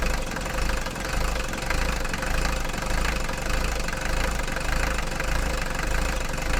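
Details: Mercedes 240D diesel after fuel injector repair and valve lash adjustment, previously clanking and smoking: started from standstill, steady even diesel clatter at idle with no clanking or missed beats and no smoke; healthy smooth idle after repair.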